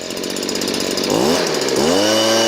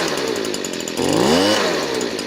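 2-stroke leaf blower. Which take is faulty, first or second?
second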